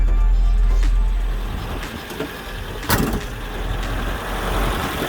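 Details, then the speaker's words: 1982 Datsun 720 4x4 King Cab, 5-speed, one family owned, freshly tuned up (plug wires, cap, rotor, oil change): starts right up into a steady even idle under radio and a door thump; runs smoothly, normal. "all right let's fire it up starts right up runs beautifully radio works"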